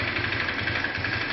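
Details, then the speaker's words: Viper Active single-cylinder motorcycle after its worn timing-chain tensioners were replaced and the valve noise was repaired. The carburettor was cleaned and a non-original air-filter intake pipe is fitted. Smooth, even idle with the earlier loud chain rattle gone. Normal idle. "заводим можете заметить что того шума уже нету"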